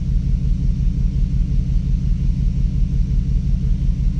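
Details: 2006 Dodge Dakota 4.7 at idle after a suspension-damaging accident, coil packs 5 and 7 replaced with no change: deep, lumpy rumble with an uneven stumbling beat; misfire at idle, cylinder 2 earlier faulty.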